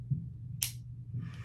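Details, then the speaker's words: Pietta Colt 1860 Army revolver with a broken hammer cam, before repair. Two sharp clicks about half a second apart when trying to set half cock; the second is the bolt snapping up and locking the cylinder. It fails to hold half cock. "That second click is the bolt down here snapping up, locking the cylinder in place, okay? It interferes with only that function."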